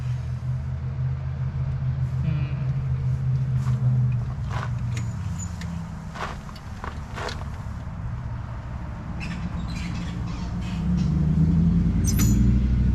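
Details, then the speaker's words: 1963 Corvair, first start attempt after bench-balancing carburetors: starter churns about four beats a second without firing; fuel pooling under one carburetor, owner suspects stuck needle flooding the engine. "Yeah, I see a lot of fuel at the bottom of that one, so I think that needle is still stuck."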